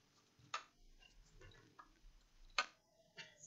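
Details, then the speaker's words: Acer Aspire 5349 laptop at power-up: a couple of sharp isolated clicks seconds apart, stuck on boot logo; hard drive suspected faulty, not confirmed. "i'm not sure if you can hear okay there's a clicking sound turning on and as you can see it's stuck here on the boats logo"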